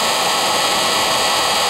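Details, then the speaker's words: Rebuilt Raymond electric motor with new brushes and brush holder, running on old lead-acid batteries to seat the brushes, gives a steady, even whir with no scraping or ticking; much quieter after break-in. "much much quieter now and i've been running it in 20 minute cycles because that's all the batteries will do"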